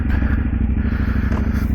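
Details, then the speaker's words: 2010 KTM SMT 990 75-degree V-twin, valve checks done: deep, loping, uneven-firing thump at idle, beating steadily with no mechanical clatter; sounds healthy. "all right let's take it for a [Music] rip"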